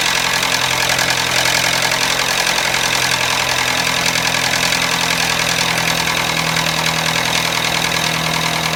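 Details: Toyota Matrix petrol engine idling with a harsh, busy metallic rattle; engine completely out of oil from a leaky gasket, vehicle also stalls when braking.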